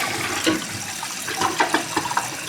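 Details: Toilet after replacing an 8-year-old limed flush valve and flapper with a Fluidmaster universal assembly, flapper set to 8: strong, full gurgling rush from the tank, no hiss or weak trickle; normal flush.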